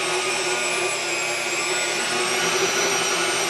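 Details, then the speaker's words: KitchenAid stand mixer after replacing control board and governor, speed set: steady high motor whine holding pitch even with drag applied; speed control keeps the mixer running evenly under load. "you can hear that the speed is staying, so even if I slow it down, we're sticking at that speed."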